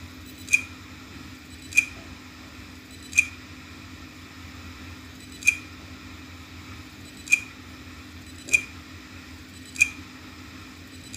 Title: wd my passport not working : clicking sound from hard drive #viral